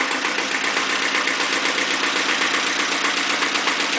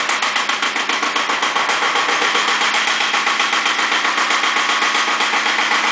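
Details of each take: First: Iseki TX-series tractor diesel at about 900 rpm idle, after fitting a foot throttle pedal, blow-by check: even diesel clatter with steady, regular firing, no misses or heavy knocks; a healthy engine despite some blow-by. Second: Second Iseki tractor diesel, possibly KE70, started warm at 70°F after glow plugs, low power and weak below about 1000 rpm: hard sharp knock about four times a second over the clatter; cause unconfirmed.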